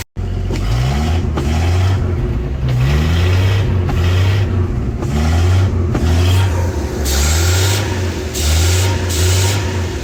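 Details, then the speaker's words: 1967 Ford 300 inline six running on a lawnmower carburetor, fuel pressure regulator set to about 0.5–1 PSI, gasket maker sealing vacuum leaks: steady low rumble, picks up cleanly on throttle blips, no misfire; runs fine, though gas pours out of the carburetor. "all right as you can see it was running fine it's about to start the camera up show you had it running even better"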